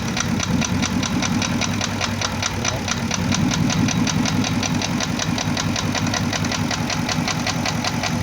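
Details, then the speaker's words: First-generation Porsche Cayenne Turbo (955) running with a dull irregular knock about two to three per second; coil-disconnect cylinder kill test barely changed it; mechanics suspect bore scoring, perhaps cylinders 5–6, though owner says an endoscope check found none. "а теперь скажи что это мы делали что мы Тестируем того что отключаем определенный цилиндр этот звук должен был пропасть это бишь когда он не работает Если задир в одном цилиндре"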